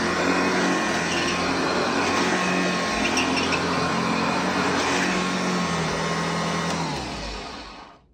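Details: Hoover Junior (UK) / Lark (US) model 115 upright vacuum running on a newly fitted belt: steady high motor whine with even brush-roll hum, no knocking or belt slap, then smooth spin-down; healthy.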